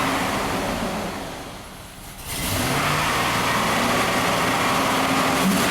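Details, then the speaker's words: 2001 GMC Sierra V8 with a bank 1 misfire under load, running in open loop with all four O2 sensors unplugged: drops off, then revs cleanly to a steady high speed without stumbling; runs happier, cause suspected, not confirmed. "Oh yeah, it wants to go. Alright, so with the sensors unplugged, the truck seems to be happier"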